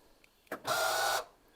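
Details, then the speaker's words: Porsche Boxster 986 central locking control unit giving a strained, steady electric motor whine when the car locks or unlocks, while the front and rear boot and fuel flap fail to release; an actuator motor inside is suspected. "now that horrible whining noise was constant let do it again and I'll unlock it so I guess there's some kind of motor actuator in there"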